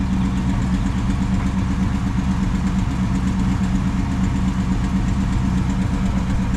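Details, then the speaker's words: 1965 Impala Super Sport idling steadily, with a rapid puffing tick on the exhaust note at firing rate; a small exhaust leak. "It's got a little bit of exhaust leak, you can hear it, not a big deal."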